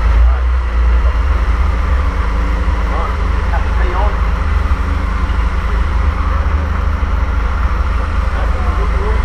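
A deep, steady, even rumble with no knocks or misfires; the old six is running smoothly.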